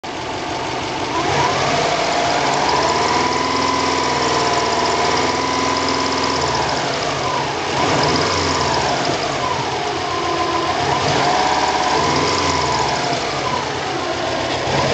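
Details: Subaru 2.5/2.0 hybrid turbo boxer idling with an uneven knocking patter and a wavering mid-pitched whine; recorded to catch a noise near the turbo, but it caught this more worrying noise, cause unknown.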